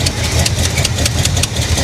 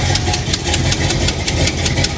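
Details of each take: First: 1985 Chevy El Camino V8, wrecked salvage car, at idle: rough idle with fast sharp puffing tick over the exhaust beat from one side of the engine; exhaust header leak, also leaks some gasoline. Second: 1985 Chevrolet El Camino V8 after its fuel leak was fixed (hose cut down, new clamp): a loud, lumpy idle holding a steady beat with a crisp exhaust snap. Runs even and healthy; normal idle.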